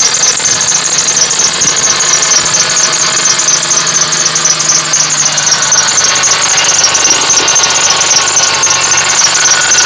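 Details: Running engine with a sharp, chirping squeak repeating about four times a second, an engine squeal persisting after replacing the belt, idler pulley, tensioner pulley and alternator.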